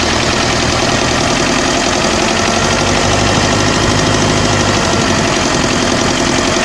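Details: OM601 2.3 diesel at steady idle with a fine, even knocking over the clatter, constant in pitch; an engine knock, cause not determined.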